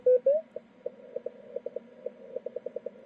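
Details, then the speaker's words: 10 GHz beacon on the bench, no key click filter capacitor in circuit yet, signal about 20 dB over S9: short sharp clicks at around S7–S8, 1 kHz off frequency, keeping time with the keying; transmitter key clicks. "and there's the uh key clicks at uh you know S7 to S8 1 KZ off but you won't be hearing that um when I put the key click filter in circuit"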